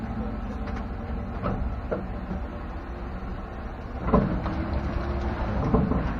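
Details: 2016 Chevrolet pickup driven with the camera filming: irregular dull clunks from the rear end every second or so over a steady road drone. It persists after the dealer replaced shocks; cause unknown, and GM's engineer called it normal.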